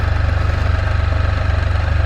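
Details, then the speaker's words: New 2022 Can-Am Spyder F3L, 1330 ACE engine with constant-mesh gearbox and hydraulic computer-controlled clutch. Deep, even idle throb, gears audibly winding, no knocks or rattles; sounds unchanged from other units. Normal idle. "you can literally hear them gears winding around on this side worrying about they all sound the same nothing's changed"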